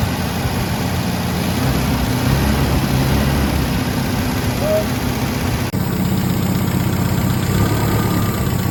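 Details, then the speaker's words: MGB under restoration, carburetors just refitted with new seals, air filter still off, in the rain: steady, even low idle with no hunting or misfire, partly masked by rain noise. No exhaust smoke; healthy normal idle. "Big difference. Not jumping around. Looks like we got everything running good, pairing like a kitten. Sounds good. Idling perfect."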